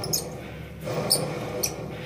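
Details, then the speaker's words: Jeep Cherokee XJ on 36-inch tires with a Dodge alternator and oversized charging wire: short high squeaks over a low rumble from worn alternator bearings and brushes, destroyed by high amp demand. "Well, it'll try to take that rotor and just pull on it. The more amps you demand from it, and it'll literally take the bearings out."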